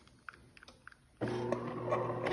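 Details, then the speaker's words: DeLonghi fully automatic coffee machine, brew unit moving: light clicks then steady hum with a dry, scratchy creak as it travels; cause is the brew unit lift rail, fixed by wiping oil onto it. "有没有听到一个怪怪的声音？其实主要的问题就是在升降滑轨的问题。"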